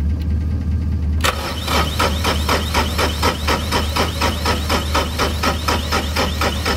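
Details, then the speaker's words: 2003 New Holland TC29D diesel after sitting three years; fired earlier but now refuses: starter cranks with steady chug about two compressions a second without catching. Owners suspect air in fuel, bleeding injection pump. "so i don't get why i fired and now just refuses"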